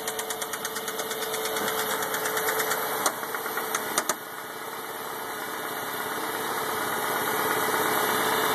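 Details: Mazda 6 petrol engine idling and revved: steady hollow rod knock about three times a second, drum-like.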